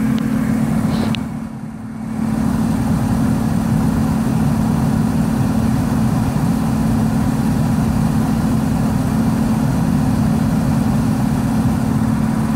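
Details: Blower running on a replacement PSC motor with 10 µF capacitor on medium speed, replacing a failed Broad Ocean ECM motor; steady even hum and smooth airflow rush, no knocks or rubbing.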